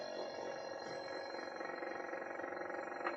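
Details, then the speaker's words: Running chiller cooling a CPU, evaporator temperature dropping: a tight buzzy drone with a fast fine rattle on top, judged to be something slightly loose. "that sounds unhappy oh that's just a rattle yeah that's just something slightly loose"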